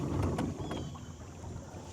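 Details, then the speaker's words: Brand-new Minn Kota 30 lb thrust 12 V trolling motor on a 100 amp lead-acid deep-cycle battery, first run in water: low motor hum with dull thunks and vibration, smooth when run dry; propeller rubbing housing, owner unsure why. "can you hear that I don't know why it's sounding like that sounds like it's got a bit of vibration to"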